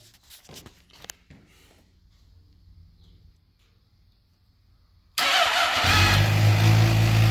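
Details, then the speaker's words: 2007 Suzuki GSX-R 600 with electrical issues, coolant in oil, water pump seal and freeze plug, with a temporary wired-in ignition: quiet fuel pump buzz, then the engine fires instantly into a steady, even idle with no misfires or rattles. "so here we go you ready oh yeah sounds good fuel pumps running"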